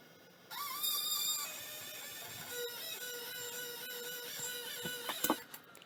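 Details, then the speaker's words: Mid-1980s hard drive (6053, passed QC 1987): thin rising spin-up whine and chatter, settling to a flat hum, then a few dull clunks; drive does not work. "no that one does not work that was terrible percentage wise for working drives"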